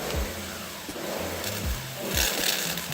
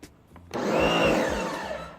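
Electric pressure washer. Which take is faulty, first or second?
first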